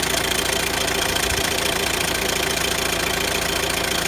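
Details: Renault Grand Scénic 1.6 dCi 130 diesel at idle: busy metallic rattle at about three and a half beats a second over the idle; owner describes a noisy chain, cause unconfirmed. Rattle at idle.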